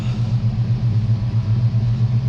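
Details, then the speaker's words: 1968 Dodge Charger with a used RV 440 V8 during its first drive and break-in in cold weather: deep, even rumble with steady pulsing exhaust beat, no ticking or knocking, no leaks seen; normal running under load. "sounds good runs good don't don't seem to have any leaks uh i haven't had anything catastrophic yet happen so i think i think i found myself a good motor"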